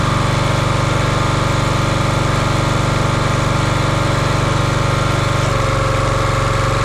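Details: Champion 27-ton log splitter, 224cc engine, stored outside probably over a year, after a hydraulic fluid leak fix: smooth even putter about four pulses a second, no stumbles or knocks; running healthy.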